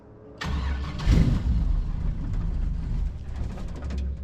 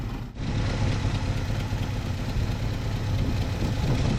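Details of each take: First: 1974 Chevy K5 Blazer full convertible, V8, sitting 9+ months, new fuel lines fitted: catches on a squirt of prime fuel, runs rough and uneven a few seconds, then sags. No fuel is drawn from the tank, so it is fuel starvation. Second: 1974 Chevy K5 Blazer V8, back running after sitting 9+ months: deep, steady, even warm idle with no misses or knocks, running great. It still needs transmission fluid and could use coolant.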